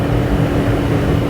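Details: Dyna Glo 220/180 BTU forced-air torpedo heater burning diesel in a pole barn: steady deep roar of the burner and fan with an even low hum, no surging or sputtering; heater running normally.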